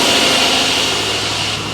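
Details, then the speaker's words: Rover P6 V8 with newly fitted alternator at idle: thin high whine over a steady hissy idle, no knocks, a sound it didn't make before; alternator charging 14 volts, ignition warning light still not lighting. "that's interesting the alternator makes a discernable sound this time it didn't do that"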